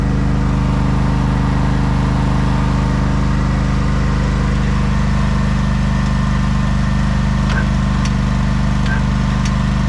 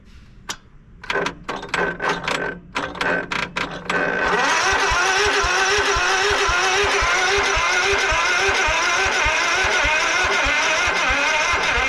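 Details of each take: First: 1989 Craftsman riding mower just jump-started after long storage runs with a steady low drone and even beat. It tends to stall when throttled up but is otherwise normal running. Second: 1989 Craftsman riding mower, choke on and fuel shutoff just reopened after sitting for months: slow, uneven cranking bursts that never catch, then a steady labouring drone; battery too weak to crank it, so a jump start is needed.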